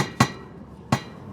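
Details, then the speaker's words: Toyota FJ Cruiser on Shafer Trail, Moab, pipe moved: two sharp metallic thuds as the exhaust strikes the frame. Fix considered: bend the hangers lower or add heat-rated rubber padding. "Good news, guys, I found the culprit of the thudding sound. It was the exhaust."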